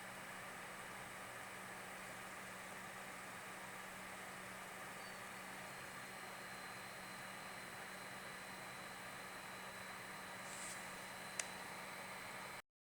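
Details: PC CPU cooler fan buzzing since the CPU was changed from an X2 to an X6, persisting with a new fan and with the stock cooler: a steady faint hum with a thin, high whine on top and no clear rhythm; cause unclear.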